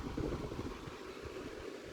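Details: Vintage mid-1990s Vornado 280SS 10-inch 3-speed high-velocity desk fan running on medium speed; low, steady airy hum, quiet and even, no rattle.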